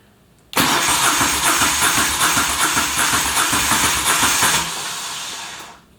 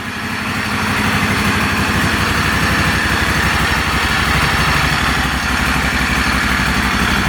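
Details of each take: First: Moto Guzzi Stelvio replacement engine that sat six years, first start attempt: starter spins steadily about four seconds with no catch, then winds down; cranks but won't start. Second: Normal idle of a replacement Moto Guzzi Stelvio V-twin engine, first start after sitting six to seven years, run without the air box and with some smoke: steady loping idle, about four even pulses a second, no knocks or misses.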